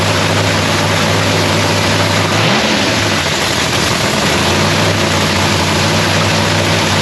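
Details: Lexus race car's first start of the season in shop paint booth; deep steady engine drone with brief rise in pitch mid-clip, then settling evenly, no misfire or knock; sounds beautiful, normal start and idle.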